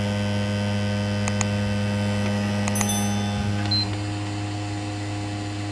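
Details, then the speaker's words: PS5 disc drive after DIY noisy-drive fix: steady low spin-up hum with light clicks, still loud at start but quieter than before, when it sounded like it was eating the disc. "drive is still loud to start with but it shouldn't be as loud as it was before"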